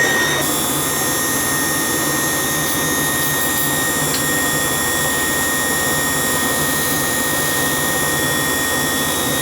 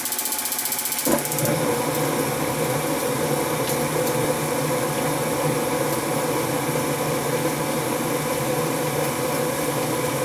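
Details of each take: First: Gas hot-air furnace that would not run, with oil and bird debris found. The draft inducer motor makes a steady high-pitched whine of constant pitch over an even motor hum. A fan-only test confirmed the inducer motor, not the blower fan, is whining. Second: Gas hot air furnace that wouldn't run, after removing dead birds: steady, even whoosh with low hum and no rattle, scrape or knock; blower now running healthy.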